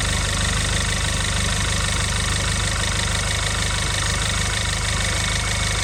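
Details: Audi A1 1.4 TFSI (CAXA four-cylinder petrol) idling for a few minutes after an oil change with about 3.5 litres added: a steady even idle with a regular beat and no knock or stumble. Normal idle.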